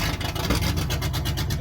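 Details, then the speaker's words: 1970 International Loadstar 1600 single-axle dump truck, 304 gas engine, restarted after five years with fresh battery and gas: uneven lumpy chugging at idle, sounds not hitting on a cylinder; owner plans compression test, cause unconfirmed. "run a compression test on that engine and see why that sucker what cylinders laying down on it okay it sounds like it's not hitting on"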